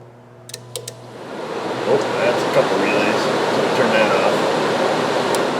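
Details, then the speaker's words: Jeep Compass with crank-no-start auto shutdown relay fault, radiator fan relay commanded on with a scan tool: fan spins up into a steady even rush of air, no ticking or scraping; cooling fan works normally. "yep yep that's some kind of control yeah I guess that's it it works"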